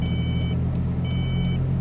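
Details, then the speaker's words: Ford Probe on a long highway drive: two-tone chime in half-second bursts about once a second over road rumble; car shut off and restarted. Dashboard warning chime. "then it started to beep beep beep beep we're gonna get killed here yeah so shut it off and see if we can get it going again"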